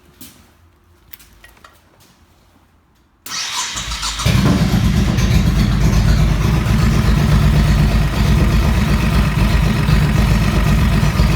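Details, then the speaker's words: Honda Shadow 1100 after repair of front-cylinder knock (timing chains, hydraulic lifters replaced and adjusted, carbs serviced): quick crank fires into smooth, even V-twin idle about four pulses a second, no knocking cold or hot; normal. "сейчас не стучит как на холодную так и на горячую все отлично"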